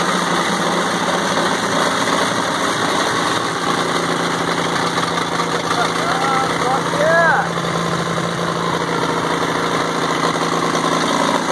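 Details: WWII-era Caterpillar RD4 bulldozer diesel, first start in 20 years after retrieval from a canyon: steady, even idle with a constant low drone and no knocks or misses. The old engine runs cleanly, but the machine won't drive because its clutches are seized.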